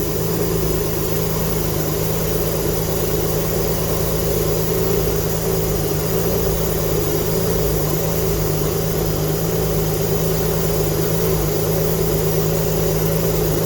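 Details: GTV V6 with a newly fitted replacement engine, first start after 18 years, smoking from unburnt oil, new exhaust gasket not yet fitted. Loud, raspy running with sharp, uneven puffing of the exhaust blowing.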